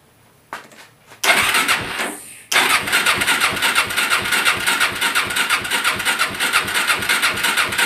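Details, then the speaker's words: Suzuki LT-R 450 quad with charged battery, in neutral, fuel switched from reserve to primary: steady starter cranking with even compression beats about three a second but no firing; compression present, traced to a faulty CDI. "oh so that's kind of good news you could tell there's a compression"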